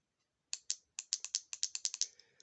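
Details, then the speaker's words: 12-volt battery bench test of a VW 09G automatic transmission solenoid, removed from the transmission: crisp, sharp clicks, about a dozen in two seconds, as power is tapped on; solenoid actuates properly but its connector plug has a broken tab. "so this is working fine but it has a broken um plug"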